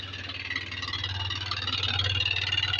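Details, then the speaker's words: Yamaha Lexi 125 with error code 61 not yet reset and compression judged fine: after the spark plug was replaced (old insulator worn, spark scattering), the scooter runs but idles roughly and unevenly with a hiss. Rough idle, cause not fully pinned down. "ketika businya saya ganti dia hidup walaupun gak normal ya suaranya kasar"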